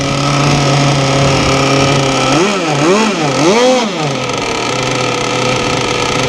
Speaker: okay fired up see how she goes it's a good sign really rich